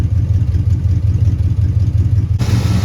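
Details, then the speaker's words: Abandoned 1961 Cadillac V8 being revived: deep, even burble at a steady idle with no stumbles after screws backed out from one turn to two; now idles on its own. "the other screws were only out one turn so i put them out two and now it idles interesting"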